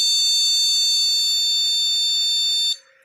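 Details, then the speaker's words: Desktop motherboard buzzer at power-on with RAM removed: one continuous long, high-pitched beep, repeated, the BIOS code for RAM not detected or not installed. "papan ini, kode untuk RAM tidak terdeteksi, atau RAM tidak terpasang, berupa bunyi bip panjang terus menerus . Bunyi bip panjang. Berulang-kali."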